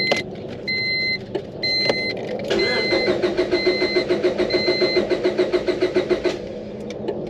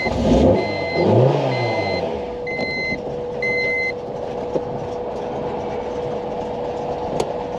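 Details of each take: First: 2002 Honda Civic B16 DOHC VTEC 5-speed, unrun over 10 years, after water pump job, fresh oil, new plugs and battery: warning chimes then steady cranking about 3.5 beats/s, never catches; no fuel delivery. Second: 2002 Honda Civic with a DOHC VTEC 5-speed, unrun for over 10 years, after a new fuel pump: a few chimes, then a short crank before it fires and holds a steady idle.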